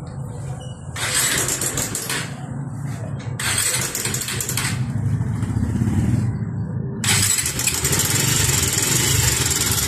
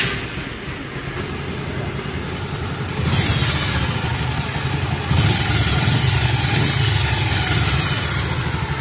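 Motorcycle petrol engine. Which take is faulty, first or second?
first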